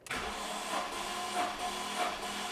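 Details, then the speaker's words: BMW M54B30 engine, cold, during a compression test: a slow, labored churning with swells about every half second as it cranks lazily; compression 11.3–12 bar, within spec. "It's turning over kind of lazy."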